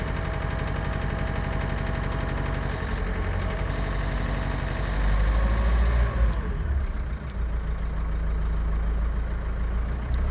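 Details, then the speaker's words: Renault Kangoo 1.5 dCi K9K diesel with Delphi injectors: rattling injector knock at 1250–1400 rpm; three injectors under-deliver at idle, about half a cc below normal, one is good. "Рено 1.5 DC и k9k стук форсунки на 1250 1300 1400 оборотов"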